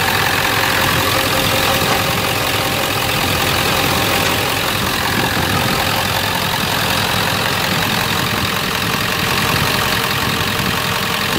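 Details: 1997 Ford F250 HD 7.3 diesel after replacing all four injector/valve cover harness connectors and gaskets (a bent pin had caused cylinders 1 and 3 to misfire): a loud, steady rumble with even clatter, far less shaking. Normal idle, power restored.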